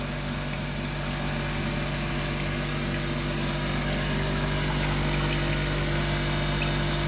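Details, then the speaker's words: Spin dryer running at 3200 rpm, unit shaking and walking: loud, steady ringing hum with a fast buzzing rattle like a vintage fire alarm bell; drum vibrating hard, much louder than comparison unit. "it sounds like one of those vintage fire alarm bells [Music] that is really really really loud"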